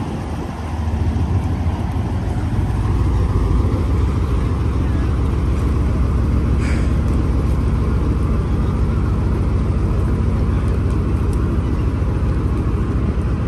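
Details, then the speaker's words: Sherman tank with a 9-cylinder 16-litre (975 cubic inch) radial engine of about 400 hp, out of gear, just started after cranking with a couple of accelerator pumps: deep, steady low rumble with an even pulsing beat and no knocks or misses; healthy idle. "We're going to crank it over and a couple of pumps on the accelerator pedal and to draw the fuel in, and it should just fire up like that."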